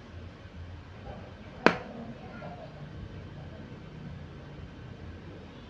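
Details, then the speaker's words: Jinbei Delicacy II Gen 1 studio flash, repaired after it would not fire following amateur disassembly, tested at full power: one sharp crack as it fires, then a faint high recharge whine. Flash is working normally. "memang dia karakternya begini Om ya mantap om suaranya Om bisa didengarkan"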